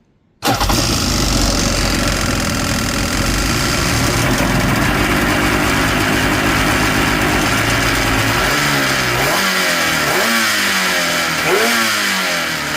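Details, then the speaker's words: Yamaha GP800XL two-stroke personal watercraft, revived non-runner after dirty fuel and a seal causing low power: idles with a loose metallic rattle that goes away when revved then returns; owner wonders whether it is the rad or an engine mount. "we have a bit of a rattle going on here All right. Um, when you rev it up a little bit, the rattle goes away, then comes back again."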